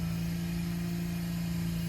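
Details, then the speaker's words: Turbo Infiniti G35 drift car: after 1.2 bar boost, a plug blew out of the intake, causing a vacuum leak. A steady raised note holds idle at 3000 rpm minimum. "Ah, et qui dit prise d'air dit ralenti élevé, donc la voiture tournait à minimum 3000 tours, ce qui était génial."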